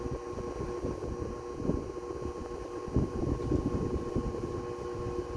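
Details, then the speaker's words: 1936 Westinghouse PowerAire 10-inch 10-SQ-3 oscillating desk fan, pre-restoration, drawing about 0.82–0.84 A and 62.3 W, rear bearing unoiled; steady prominent electrical buzz under airflow, windings need revarnishing: motor winding buzz. "It is noisy. It does buzz. And it's shaking the camera around for the airflow. But it works. That really prominent buzz is a telltale sign that it needs revarnishing on the windings."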